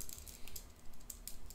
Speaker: couple of the only issues I've got with it is I don't know if you can hear that hear that rattling so that's these plus and minus buttons